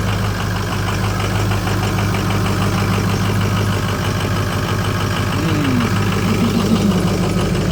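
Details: 6.0L diesel truck cold start after sitting overnight at about 45-60°F, no check engine lights; loud clatter with an uneven, lumpy idle from a bad number 4 injector that passes the buzz test.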